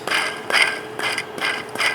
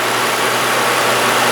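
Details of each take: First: Removed belt tensioner pulley spun by hand gives dry, gritty rasping in quick pulses: rough, worn bearing thought to be causing the engine's squeaky noise; tensioner replaced, new one spins smooth. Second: Engine after replacing the belt tensioner that was causing a squeaky noise: even, steady hiss-and-hum idle with no chirp or squeal; the noise has gone; normal idle.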